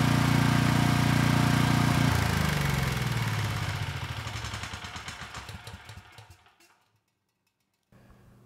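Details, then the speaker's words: Replacement commercial-grade Vanguard single-cylinder engine for a generator, after counterbalance repair and reassembly: fires up and runs with a strong, even beat, then spins down smoothly when shut off; sounds healthy. "right not too bad it started right up and the engine sounds good so I think we're ready to move on here and get the power head attached to this engine"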